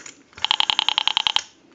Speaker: so that heavy clicking that pulse signal noise in the receiver indicates that the rotary dial in this case has been wired improperl